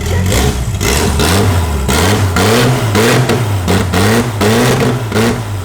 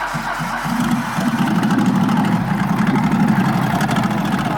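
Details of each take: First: Nissan GT-R after new spark plugs and refitted coil packs (cylinder three had not been sparking): engine catches and revs up and down cleanly in repeated blips, smooth and even with no misfire; normal running. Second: Nissan GT-R with oil in the exhaust and turbo suspected: uneven, lumpy idle with an irregular stumble about four times a second; misfire.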